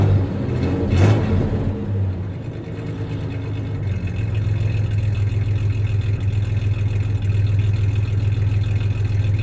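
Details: 1993 Ford Ranger 3.0 V6: quick rev blip settling into low idle with slightly uneven, stumbling pulse; slight misfire; clanking is bed tie-downs, not the misfire.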